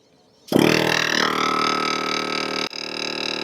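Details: Portable air compressor inflating truck tire from about 20 PSI: motor kicks on, steady buzzing hum with even pump chatter, no labouring; normal running.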